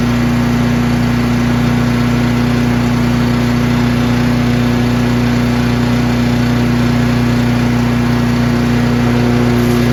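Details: Craftsman chipper shredder in excellent condition, single-cylinder with very heavy flywheel, started on choke on one pull despite brownish old gas; loud steady drone at constant speed, even firing, no knocks or misses, runs well.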